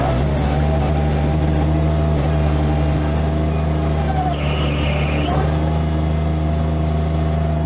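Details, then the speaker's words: Bobcat MT85 mini loader running hard under load; a faint high squeal rises only during one particular turn and not with an empty bucket. Belt looks tight and sound, so the worn belt tensioner is suspected. "So do you hear that squeaking? It only happens when I make that particular turn. Alright, so that awful squeaking happens only under a load."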